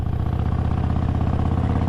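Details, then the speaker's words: Harley-Davidson Sportster 1200 Roadster XL1200CX with Vance & Hines Short Shots full exhaust and stage 1, riding: loping V-twin beat with a tinny metallic rattle over exhaust pulses; owner believes the exhaust bracket weld has cracked. "je crois que les soudures de la pâte vas tu déposes là n'a pas tenu malheureusement il ya un bruit métallique qui ne me trompe pas"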